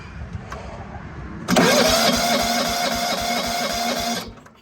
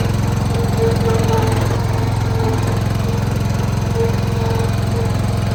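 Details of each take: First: John Deere 165 Hydro lawn tractor with sporadic spark, cranking with a new cheap Amazon igniter chip and spark tester hooked up: steady starter churning at about four pulses a second that never fires, then stops; no spark, open ignition coil. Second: John Deere 165 Hydro lawn tractor after a new ignition coil fixed sporadic spark: steady, even chug at constant speed with no knocks or misses until shutdown; engine running healthy.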